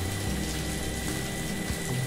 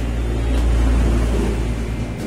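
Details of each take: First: Water pump after seal replacement for leak causing poor suction: steady motor hum with strong even water flow, no knocking, seal area dry; pumping normally. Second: Electric water pump after replacing a leaking seal that stopped it drawing water, test run on mains: spins freely but a low motor drone with an uneven, rough buzz, later cured by gently tapping with a hammer; rough running noise.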